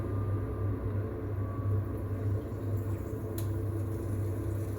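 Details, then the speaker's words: Potterton/Promax Combi HE Plus 28 boiler running central heating after repair of a faulty 3-way valve motor: low steady burner and pump hum with no banging, kettling or surging; normal central heating operation. "Okay, so that sounds like the, so we have ignition, pump stepped in,"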